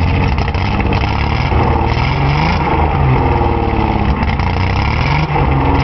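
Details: Nissan 280Z with a bad injector stuck open: engine runs lumpy and uneven, the beat wavering and stumbling as it revs.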